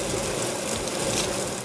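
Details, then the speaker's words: Longboard wheel: fast, dry rattling clatter while rolling, louder in reality than recorded, from the bearing spacer with a millimetre or less of play. "genau das was von diesem video hört was in wirklichkeit viel lauter ist auch der kamera aufnahme ist nicht so super zu hören ist bei mir der spacer der russell da ein bisschen"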